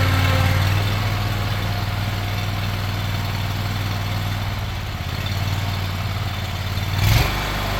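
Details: Craftsman Z6400 zero-turn mower after hydro drive belt replacement, revved up with blades on: steady, even low engine drone holding constant speed, brief bump near the end; runs smoothly.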